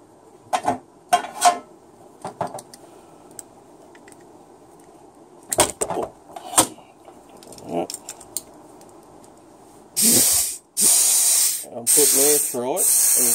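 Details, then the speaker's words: Renault/VW/Audi automatic transmission on-off shift solenoid (095–099, 01M/01N/01P, AG4/AR4/AD4/AD8) on bench tester at 8.5 V and 60 PSI air after cleaning and demagnetising: sharp bursts of hissing air start and stop cleanly as power is applied, passing air properly. "and you can see it's bleeding off. I just put some power on it there. I'm putting the air through now."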